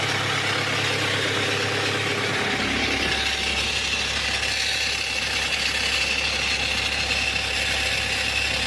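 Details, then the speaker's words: Audi A4 B7 2.0 TDI diesel (BLB), 464,000 km, idling: harsh metallic rasp with thin whine from the oil sump, where the oil pump with balance shafts sits. "шум іде із з піддона в піддоні у нас що знаходиться правильно масляний насос із баланср валами проблемний маслонасос"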